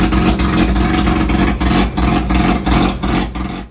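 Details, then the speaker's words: Mazda RX-3 rotary at operating temperature with a straight-through exhaust and no mufflers. A very loud, raspy roar rises and falls with throttle, then cuts off. Healthy rev, just very loud. "the exhaust is basically straight out it runs straight out and dumpster only the driver said there's no mufflers no nothing on so it's pretty pretty loud"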